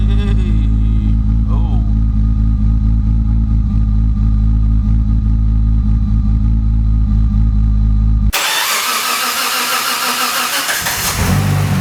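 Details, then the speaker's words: Nissan R32 GTR RB engine running with high engine temperature while oil pressure never drops below the first gauge line. On revving, a low steady knock of about four a second appears, a "death rattle". The owner suspects a spun bearing; not confirmed. "I don't know if this is I don't know if this is more than just the RB world but the rattle that here's what they called a death rattle your bearings are about to fail"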